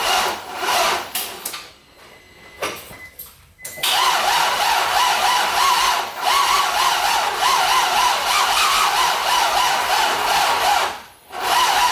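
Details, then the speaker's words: LS V8 swapped Nissan 350Z, first start attempt with VATS deleted and MAF failed into speed density: repeated uneven cranking bursts with pauses, not catching; flooded with too much fuel from crank attempts, started after bleeding rail pressure and unhooking fuel pump. "just getting flooded from all the crank attempts I unhook the pushed on the shredder valve blood the pressure out of the rail and unhook the fuel pump and then it started so it was getting way too much fuel"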